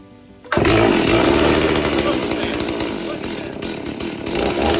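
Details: Chainsaw, about 15 lb heavier than the owner's other saw; choked and started, it catches and settles into a loud, steady buzzing run with no misfires or stumbles, healthy.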